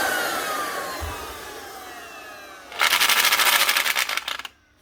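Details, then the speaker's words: Old Metabo drill driving a handheld plastic extruder: motor spins with fast rattling clatter but output doesn't turn; low-speed gears in the gearhead stripped and others worn. "ah there we go all right she's not driving she strapped something and it sounds like it's down in here in the head of the metab so I have to see if I can do something about this"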